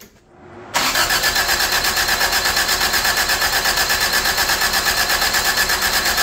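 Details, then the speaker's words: 1985 Toyota Tercel cranked on a chilly morning after distributor moved: steady even fast cranking for several seconds without firing; spark and fuel confirmed, timing suspected off. "we got spark we got fuel it's got to be out of time"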